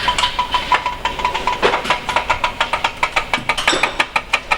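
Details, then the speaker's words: BMW E46 M3 CSL with new Burkhart upgraded SMG motor kit (old pump had melted positive wiring, gearbox popped out of gear when hot), clutch bleed procedure; rapid even clicking with rising whine, pump straining but completing successfully. "Is that operating the clutch cylinder, is it? Yeah. Yeah, it sounds like it's putting a strain on."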